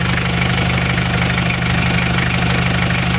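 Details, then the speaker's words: Isuzu Panther 2.3 diesel after rebuild, idling with no smoke or vibration: steady idle with a light, fast ticking over the clatter; valve clearance still uneven and too loose, to be adjusted next day. "ini aja agak bubuk ini memang Karena ini klepnya belum merata ya masih terlalu longgar besok akan kita Setel lagi"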